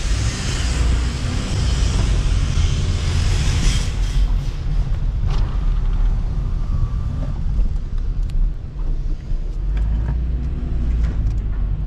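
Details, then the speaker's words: 2016 Honda Civic with a used LKQ junkyard replacement engine (the original blew its head gasket after losing coolant): a smooth, steady low rumble with no knocks, ticks or whine over road noise; it runs healthily. "I mean, the motor sounds pretty good, but let's see how it drives."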